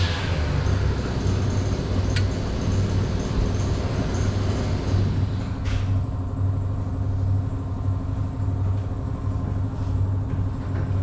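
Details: Husqvarna 553 RBX brush cutter, previously overhauled with a cleaned piston and cylinder, came back not running; after the repair it idles with a smooth, even low drone and no misses or surging.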